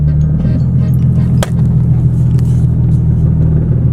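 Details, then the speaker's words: Nissan 370Z at warm idle after cold start: deep rumble with faint buzzing vibration, heard in cabin and outside, worsening with driving; exhaust hitting the mid subframe, fixed with clamp DIY. "honestly that little like vibration you guys hear it's like 20 as to how bad it gets the more i drive the car the worse it gets kind of here from here as well that is the exhaust hitting the mid subframe i think you call it but it's not normal"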